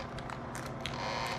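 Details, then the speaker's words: Bell & Howell Slide Cube RF60 slide projector, bought secondhand: short uneven whirring bursts with creaks as the small focus motor strains and stalls when the focus button is pressed; focus motor struggling, not driving the lens properly. "which is trying to work I hear the M trying to work yeah it's not want to work very well"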